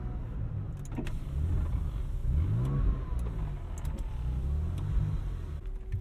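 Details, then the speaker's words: 1999 Porsche 911 (996) Carrera 4 just after a reluctant start: uneven, stumbling low idle with irregular pops and sagging, then stalls; rough idle, cause unknown. "come on stay running for me kid ah she died on me"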